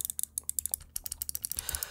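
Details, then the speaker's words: Cooler Master MM710 mouse, main buttons one and two loose and movable in their housings: rapid sharp, light clicks each with a loose, clattery edge; button rattle. "let's start with the mouse one and two they rattle and can be moved around"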